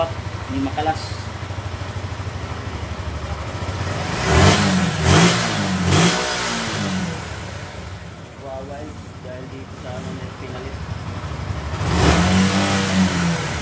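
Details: Suzuki Gixxer single that would not start, after cleaning a rusty, water-contaminated tank, replacing the fuel filter and fitting a new spark plug: settles to a steady idle, crisp throttle blips, drops back smoothly, no misfire; normal start and rev.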